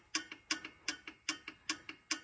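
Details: Massey Ferguson 175/180 diesel tractor, engine stopped, valve covers off, number 1 at top dead centre: sharp metallic clacks in pairs about three times a second as the rocker is rocked. Far too much valve lash; spec is .012 cold.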